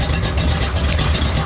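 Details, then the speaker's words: 1970 Ford Falcon small-block Ford V8 after a swap to a 750 Holley carb, not fully warmed up, mixture screws not yet adjusted: low, lumpy idle with slight cam lope, smoother and healthier than before, no knocks or misses; normal idle. "The idle is so much healthier and smoother. I mean, it sounds great."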